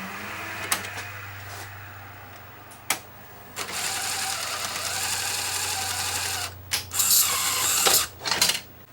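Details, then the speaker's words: Sony Betamax slim-line chassis, possibly an SL-HF300 with the front panel missing, playing a Beta II scenery tape perfectly. Soft motor whir and clean clicks as the loading mechanism steps through its modes. Normal tape loading, though the drum bearing sounds slightly noisy after years unused. "this tape is my scenery tape recorded in beta two there it is it's uh playing perfect"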